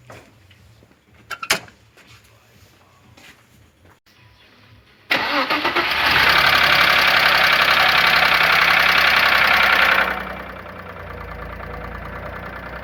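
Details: Audi A6 V-engine, previously repaired for the same problem, starting up: a fast, even top-end ticking. The cylinder head is dry of oil with condensate found, so the hydraulic lifters knock from oil starvation.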